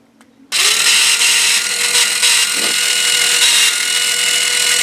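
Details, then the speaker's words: New, not yet broken-in or lapped V3 gearbox, bench-run when plugged in: spins up to a high whine with uneven pitch fluctuation at start, fading after a few seconds; gears suspected of not meshing well. "I don't know if you could hear the fluctuation in the sound right there, but it's like the gears aren't meshing as well as they could."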